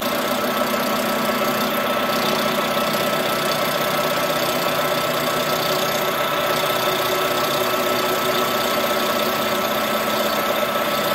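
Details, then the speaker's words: Colchester Master 36x13 gap-bed lathe facing the flange of a cylinder: steady hum with a thin high ringing tone through the cut; tool chatter, vibrating less as the cut moves inward. "you can see you can hear it friends as you get closer in it doesn't vibrate as much you hear that chatter when you get when you're cutting the flange"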